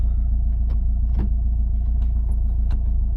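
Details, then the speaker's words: 1997 Subaru Legacy drift wagon on the dyno, rolling in gear: low rumble with rough uneven beat about three per second and sharp clunks; owner suspects broken transmission, possibly clutch, not confirmed. "so here's the sound that the transmission makes"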